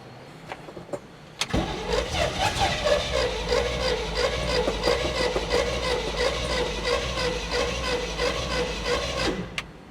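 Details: 1970 Chevrolet K10 4x4 V8, abandoned 26 years, after fitting a new starter: brief crank, catches at once and runs a steady idle about eight seconds before shutting off; normal engine start.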